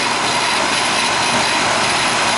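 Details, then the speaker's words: Rheem AC condenser, about 15 years old, running after contactor short/transformer repair; low suction pressure, 15° superheat, 41° line, never ices up. Loud even fan rush without rattles, squeals or surging; running smoothly. "now this system's been running like this for since it's been put in so what 15 years and it don't ice up so it is what it is"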